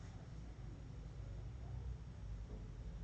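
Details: Turntable amplifier at full volume after switching off the power strip feeding the JBL Horizon's original switching power supply, which was putting interference onto the mains: quiet, only a faint low rumble, no buzzing.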